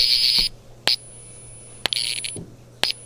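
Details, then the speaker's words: Fire-Lite MS-10UD fire alarm panel with sync mute (two-wire audible silence) enabled: horn/strobe piezo gives short shrill chirps with a thin high whine between when silenced; cause unclear. "yeah the piezo or speaker or whatever it makes a weird noise when sync mute is enabled or when i silence the panel"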